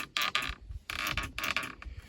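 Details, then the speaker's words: 1972 Plymouth Roadrunner with a cut and hacked wiring harness, dash out, key on; sharp clicks each time the horn button is pressed but no horn tone; horn relay is clicking and good, so the fault is further along the horn circuit. "I wanted to work on the horn. It can't be a Roadrunner without that cool horn. So you push the button, you can hear it click."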